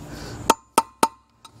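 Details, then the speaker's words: Boat trailer hub bearing replacement, final hammer taps on the race: three crisp solid metallic taps, short clean ring, no hollow rattle; sounded better, no gap visible, race fully seated against the hub ridge. "a little bit more to go that sounded better okay checking to see if there's any gap and it does not look like there is"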